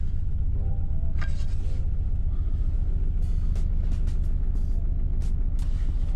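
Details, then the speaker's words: 2003 Toyota Camry Solara first start after weeks sitting, engine shaking the car: uneven low thumping at idle with irregular pulses; rough running, cause unknown. "really ruining quite bad I can see it shaking the water on the hood shaking the whole mare"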